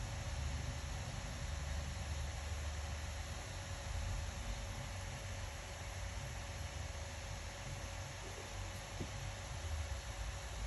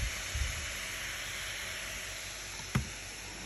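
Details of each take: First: Acer Predator Helios 300 laptop after the overheating fix: steady, even airy hiss with a faint constant hum as the fan holds well below 6,000 rpm, sounding healthy and smooth. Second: Acer Predator Helios 300 gaming laptop overheating: loud steady airy whoosh with faint high whistle from fan running at very high speed, about 5882 rpm on the GPU fan.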